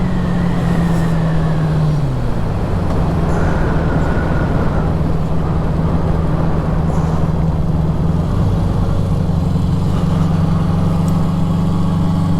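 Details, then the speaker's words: 1973 Honda CB350 Four, warmed up after a short ride: even, smooth four-cylinder drone dropping in pitch as revs come down, then holding steady; no knocks or rattles, purring normally. "yeah she is just purring"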